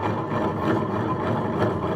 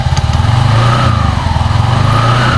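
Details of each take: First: Honda Vario 125 scooter CVT: steady rough rumbling grind when the secondary pulley is turned by hand, from a worn secondary pulley bearing; the noise disappeared when only the wheel was spun. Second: Honda Vario 125 scooter after replacing worn CVT secondary bearings: even low putter at idle with smooth drive hum, no knocking or grinding; CVT belt drive sounds healthy.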